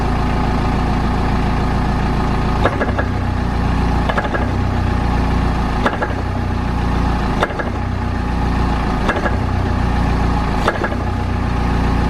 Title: Clunk Noise From Rear Of The Car